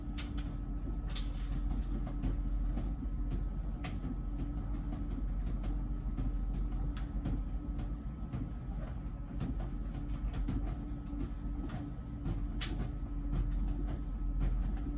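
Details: About one-year-old LG Wash Tower WKHC202HBA heat pump ventless dryer, before the new buzz begins: steady low hum with soft irregular tumbling thumps, no buzz or grinding; running normally.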